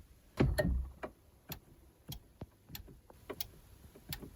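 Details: Honda Civic EK4, rear defrost made to work by wiring the blue-yellow wire to the fuse box; ignition on: quiet scattered relay clicks with no buzz or chatter, circuit working normally.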